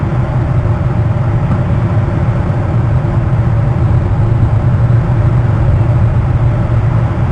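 Heavy low rumble with a dense rough throb, steady in level throughout; something sounds off, but the source isn't clear.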